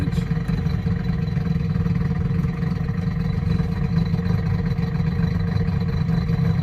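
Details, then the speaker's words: 2008 Chevy Impala, 150-some thousand miles, engine running good: a steady low droning rumble with faint clatter in any gear when revved, staying noisy once turning. Grinding transmission noise under load; transmission suspected, CV axle also considered. "so when you put it in gear get that grinding noise neutral Drive third second or first and it don't matter what you do RI it up a little"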